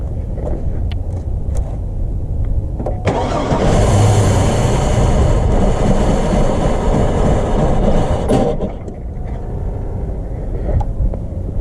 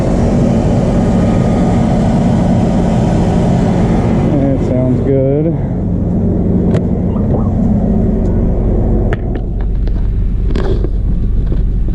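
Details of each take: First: 2002 Chevy Blazer that won't start on its own: with gas poured down the throttle body it catches and roars for about five seconds, then dies back to cranking; fuel pressure is low, and the fuel pump was then replaced. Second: 2002 Chevrolet S10 Blazer 4x4 V6, first run in a long time after fuel pump replacement, idling cold on jack stands with driveshaft out, oil pressure a little concerning: steady, even low rumble, no knocks, misses or surging; normal running.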